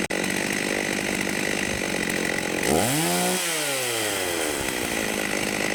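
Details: Vintage 1989 Husqvarna 50 two-stroke chainsaw, sat years with old gas, after carb clean and tune-up: crisp idle, clean rev up and smooth drop back to idle with no stumble or bog; carb set right, normal running.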